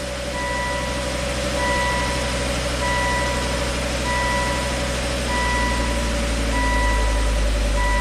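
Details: Volvo S60 Turbo after new cylinder 1 exhaust valves and repositioned gaskets: steady, even low idle with no exhaust leak, truck reversing beeps nearby; normal smooth idle.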